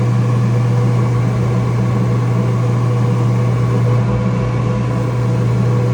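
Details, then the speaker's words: Kenmore/Whirlpool dryer from a flood that was not heating, motor previously suspected bad, run with the drum held back by hand: steady deep hum, no bogging. The motor is warm, not hot, and turns without stalling under load; owner thinks it may have overheated previously. "I was holding it back and it turned no problem."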